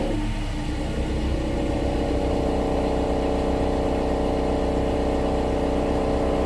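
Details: 2016 Subaru Outback four-cylinder, about 80,000 miles, warmed up, low idle in gear, phone under car: loose metallic buzzing rattle from rear driver-side muffler, suspected failed internal baffle spot weld. Exhaust muffler rattle.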